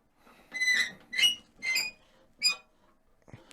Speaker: Lovely squeaky bandsaw, lovely.